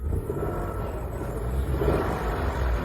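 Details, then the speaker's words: Turbocharged car, after the front parts were refitted: the engine revs low and even with the whistle that used to come from the engine on acceleration gone; problem solved. "Duyuyor musun? Düdük sesi gitti. Sorun tamamen çözüldü."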